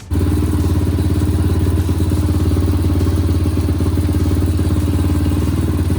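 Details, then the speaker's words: Honda CRF150F, just rebuilt with new rings, first start: single-cylinder idle fires and holds a fast beat but keeps creeping higher until almost screaming; owner suspects a vacuum leak. "So as you just heard, the bike runs, but the longer it runs, the idle slowly rises and rises until it's to the point that it's almost screaming just sitting here."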